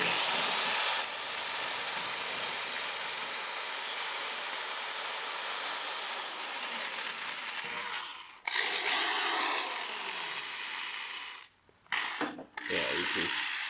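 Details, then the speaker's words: Old drill with worn-out bearings driving a wire wheel to clean metal for seam welding a 1976 Celica RA24 rally car: rough, scratchy grinding over a steady high motor whirr that cuts out and restarts; it squealed loudly earlier. "I don't think drilling is supposed to sound like that. It was making a really loud squealing sound before, so that is my old drill, which is why I'm using it for this."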